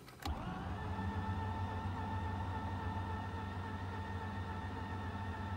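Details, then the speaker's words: Mazda RX-8 rotary, bought as a non-starter, sat four days in freezing weather: steady starter whir with slow pulsing, turning over without catching. Owner suspects a discharged battery rather than a weak starter. "oh guys does it sound to you like the engine is not rotating fast enough it's like the starter it's not spinning fast enough"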